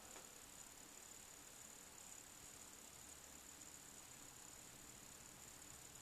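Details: Brand-new Apple AirPort Extreme Base Station (5th generation): faint steady high-pitched buzzing, staticky clicking during Wi-Fi data transfer, fading when transfer finishes; buzzing noise during data transfer.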